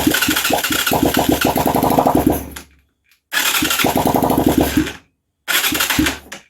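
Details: Huaniao HN125 Chinese motorcycle, easy start sprayed into carb and barrel: three short cranking bursts with uneven pops as it briefly catches then dies each time; fires but won't keep running.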